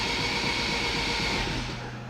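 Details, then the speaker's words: AWD Civic Type R new engine, first crank before plugs fitted: even, fast whirring spin with no grinding or binding, oil pressure 45–50 psi, fuel pressure 35 psi; normal cranking. "Oil pressure's good, 50 PSI cranking. I'm happy with that."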